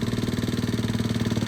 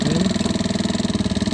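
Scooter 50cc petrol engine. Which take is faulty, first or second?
second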